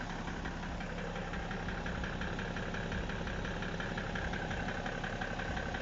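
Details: BMW E60 535d diesel at idle: a dull, rhythmic knock of roughly twice a second beneath the normal clatter; the owner asks whether the engine runs correctly, and the source is not pinned down.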